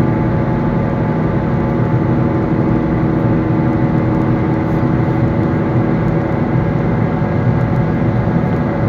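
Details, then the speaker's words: Car wheel bearing in final worn stage, just before replacement: constant low droning hum under road roar with metal grinding and crunching; worn wheel bearing at risk of locking the wheel. "sound of metal grinding against each other accompanied with sounds of something crunching and breaking be aware that this is the final phase of the problem and that the wheel bearing is on its last legs"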